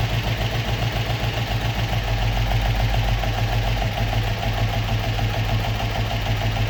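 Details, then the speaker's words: Opel Manta hatchback with Ascona front end, after about 20 years stored, still on old plugs; steady, even idle with a regular low thrum around three and a half beats a second, no stumble: normal idle. "so there we go but that sounds like a bit of a beast Happy Days"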